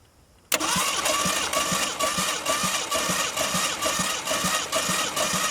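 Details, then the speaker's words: Ford Maverick sitting 26 years, previously seized, plugs out and carburetor off: starter spins engine about two turns a second with even light chuff, no firing, spitting oil out; it's turning over. "That's good. It's spitting oil out, so it's kicking over. Well, that's a good sign."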